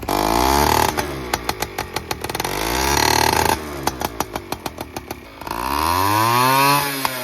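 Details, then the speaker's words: Honda Express 2 scooter, 60cc big bore two-stroke, after tuning, now reaching 35 mph: climbs cleanly to high revs and drops back to a popping idle three times; no longer bogs at high rpm as before. "It's no longer bogging down, which was the main issue."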